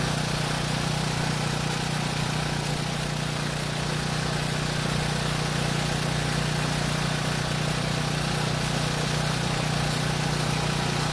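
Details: Small single-cylinder generator engine that ran only on choke, with partly clogged carburetor jet buildup found: holds steady even governed speed, no surging or hunting, running cleanly off choke; normal running.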